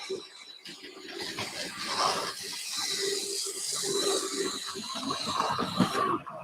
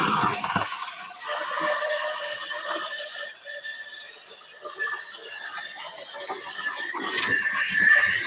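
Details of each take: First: uh the mallet is coming into view shortly it's got a completely different so albeit not perfect it is running whereas before it was whining like a banshee Second: High, steady squeal with wavering pitch over a light whirring motor from one of the newer model railway locomotives; gear squeal suspected from non-brass plastic or alloy cogs, brass cog replacement planned.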